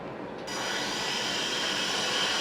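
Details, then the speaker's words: Litehawk Quattro RC with small electric motors at low idle after resetting two pinions that sat too low and caught the gears: a steady, smooth whir with a faint high tone and no grinding, much quieter than before the fix. "Okay, now that's just a low idle. That's much quieter now."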